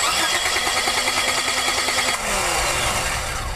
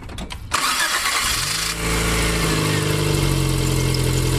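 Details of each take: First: Pontiac Firefly cranking steadily at about three turns a second but never firing. A spark tester at the plug shows no spark, simulated by an unplugged coil; coil-to-distributor power is checked next. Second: Car after replacing a dead ignition coil in a simulated no-start, no-spark diagnosis: short crank, catches promptly and settles into a steady, even idle; normal start and idle.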